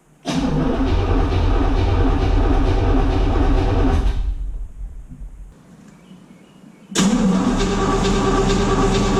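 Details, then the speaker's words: 1963 Corvette split window not run since 1981, with spark confirmed and fresh gas added: long fast, even cranking, a pause, then more cranking without firing because fuel has not yet reached the carburetor; once fuel arrives it fires. "it takes a little while to get fuel once it gets fuel it fires right up"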